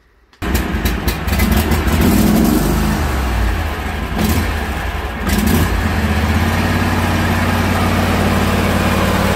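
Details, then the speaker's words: John Deere lawn tractor after replacing a plug-in part in the cab that made it die once hot: the engine catches right away, revs up, then settles to a steady, even drone with no stumbling. Runs normally. "So what I'll do here is just start it up to show you that it runs with the new part. It did run with the old part, guys, but as it got hot, it would die"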